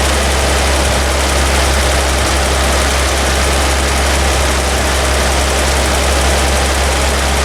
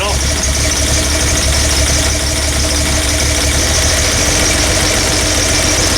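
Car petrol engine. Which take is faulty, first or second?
second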